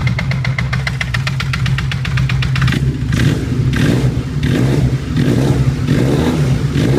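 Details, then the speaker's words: Honda CBR 450 SR motorcycle with an engine oil leak. Fast, regular metallic ticking at idle, then a rising note on revs. The strange engine noise is unexplained, clutch operation doesn't change it, and the bike is going for repair. "eu sei que elas um barulho estranho motor vou ligar pra você ver"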